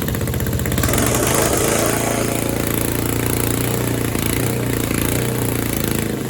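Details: Tecumseh Snow King snowblower in snow, failed to fire at first on too much throttle before warming, then given throttle: single cylinder runs steady and strong with an even rapid exhaust beat that holds; starts easily, healthy warm running.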